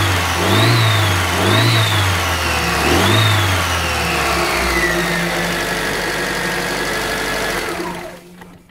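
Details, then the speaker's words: Car engine revved with headlights on to load the alternator, after the fan/alternator belt tension was adjusted: a clean, even note with no belt squeal or slipping at any speed. "excellent fantastic stuff so basically there's no more squeak there's no more slipping of that belt"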